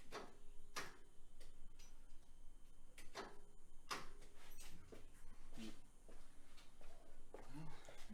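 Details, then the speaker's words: 1966 VW Type 3 Fastback, key turned: scattered sharp starter clicks, engine never cranks; battery not fully charged, owner suspects dead battery, earlier suspects starter and a chewed-up flywheel. "can hear it clicking. Maybe the battery's deader than I thought."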